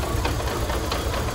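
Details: Chery Tiggo idling after its throttle body was cleaned with WD-40: idle is better but still slightly irregular, with a fast, even ticking rattle. Cause unconfirmed.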